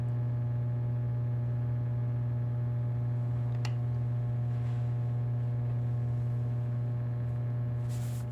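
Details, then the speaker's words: Energized plate transformer with fixed secondary and changeable primary, at no load: a steady, even low hum with no buzzing, rattling or fluctuation. This is normal transformer hum. "I don't know if that's translating to the phone or not but it's a humming so just listen for a second"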